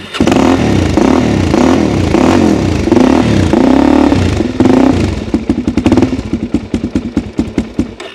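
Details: 2006 Suzuki DR-Z400SM single after full strip and carburettor swap (52 pilot, 155 main jets), possibly warm enough to need no choke: rough catching at first, then a steady, even, slightly slow idle; running sweetly.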